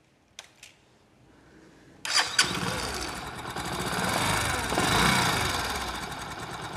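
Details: Old Discover 125 motorcycle whose valve, cam and rocker arm were already replaced without curing the noise: starts after a couple of kicks, then a quick light chik-chik tick over idle and revs; valve train ticking from worn valve guides.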